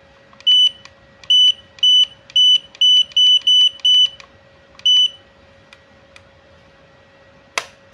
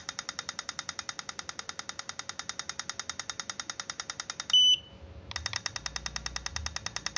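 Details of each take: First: Godox AD300 Pro flash, water-damaged with its board destroyed by an earlier botched repair, before repair at lowest power with the ready light on: only short high beeps with each button press and no firing pop; the flash is not firing. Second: Godox AD300 Pro flash, water-damaged with its board destroyed by an earlier botched repair, now fitted with a custom module, tested in burst mode: rapid crisp clicks about eleven a second, evenly spaced with no dropouts, then a brief beep; normal burst firing.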